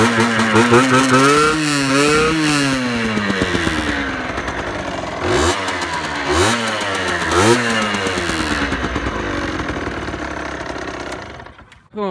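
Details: 2018 Beta RR 50 enduro, 50cc AM6 two-stroke, 6-speed, still restricted: a crisp buzz blips up and falls back a few times, then settles and is switched off. Runs clean with no misfire; normal start and idle.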